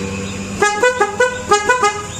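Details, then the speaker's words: Ashok Leyland Dost horn tested after rewiring with key-main and direct-main feeds and fuse fitted; two quick groups of short loud toots, clean steady tone with no crackle or dropout: horn working normally. "இப்போ இங்கே இருக்கிற ஹாரன்னா check பண்ணி பார்ப்போம் எது அடிக்குது அடிக்கலான்னு."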